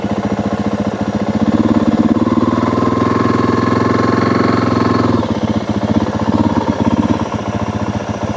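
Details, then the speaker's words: 2025 Yamaha WR 450F dirt bike on a trail, chest-mounted camera: low, lumpy thumping swells and sags without picking up; bike won't move freely, motor struggling and short of power; engine bogging, cause not yet found. "The bike is not wanting to move freely. You can hear the motor struggling."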